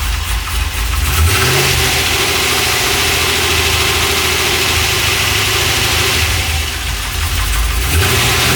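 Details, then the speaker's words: Freshly rebuilt LS1 V8 with very choppy Crow cam in a 1978 C3 Corvette swap, idling right after first start: loud, choppy, uneven lope, steady and strong; normal big-cam idle. "Check it out! And it's idling! Oh man. You hear that chop?"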